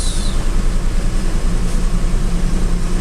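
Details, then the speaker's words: Warm Toyota Avanza/Daihatsu Xenia (old model, 1000 cc) idles high, steady and slow to drop, settling at 1200 rpm without AC and rising further with AC instead of the standard 900–1000; cause is a dirty idle speed control (ISC) valve. "Ini dia turunnya lama banget ya. Untuk RPM dia berhenti di 1200."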